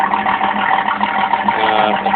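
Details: 1988 Camaro after replacing coil, pickup coil, ignition control module, cap and rotor and retiming; engine catches and settles into a steady, even idle, firm mid-pitched drone, no misfire. Car dies at 220 degrees; water pump bad, thermostat still to replace.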